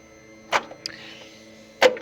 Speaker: you can hear the gearbox going through it selections uh to do the do the programming it's learning basically it settings